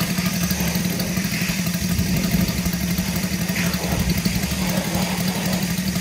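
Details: Saito FG-73 R5 gasoline engine, full upgrade with MMM hardware, 20x10 Biela four-blade prop, 32:1 fuel mix, 600–5500 rpm: steady low buzzing drone with even beat, no misses or knocks; runs smooth and healthy.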